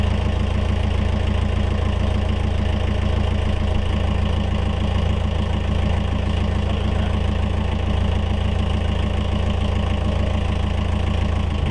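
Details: Yanmar 4JH4E marine diesel in a sailboat, first run after 10+ years sitting since 2006: steady, even low idle chug about 200 beats a minute, no knocks or misses; oil pressure good, healthy idle.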